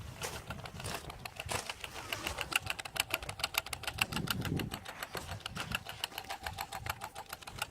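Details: Alfa Romeo 156 1.6 TS that won't start: fast, dry fuel pump relay clicking, four or five a second, no cranking, with the diagnostic light flashing. Cause was a failed throttle body/ECU; replacing the throttle body, ECU and code box fixed it.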